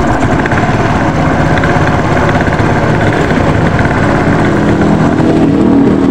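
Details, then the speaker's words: Yamaha Mio Soul GT scooter, CVT cover previously welded after a broken kickstarter: rough gritty scraping rattles steadily under the running engine at the CVT area; kickstarter pinion scraping. "kira-kira seperti itu ya untuk suara di motor miosul GT ini berisik di bagian cpt-nya"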